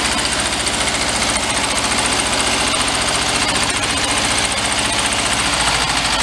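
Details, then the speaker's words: 1973 Karmann Ghia barn find, air-cooled, just revived, held just above idle: fast uneven ticking knock. Hand-spun, it clanks about twice per rotation. Internal knock, cause not yet found. "That sounds awful. I'm not going to start it, but just by spinning it, you can hear the clank and the knock in it. And it seems like it's doing it twice a rotation."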